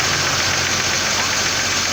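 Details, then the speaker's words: 2006 Trailblazer 4.2 Vortec at start-up and idle: sharp tapping knock over a hissy running noise, cause still being diagnosed. "have a 2006 number trouble is a 4.2 vortech some knocking going on not quite sure we're trying to diagnose it so here it is what it sounds like I start"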